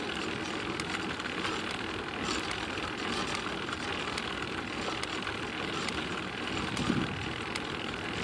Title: Clicking noise again